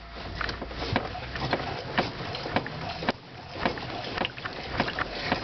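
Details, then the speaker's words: VAZ 2110 fitted last autumn with Asomi struts and mounts and new rear shocks: dull irregular knocks, about two a second, as the body is rocked. The knock began within a month and is louder by April; strut or mount suspected. "уже апрель месяц и стук стал ещё сильнее сейчас я вам это покажу начинаем раскачивать автомобиль"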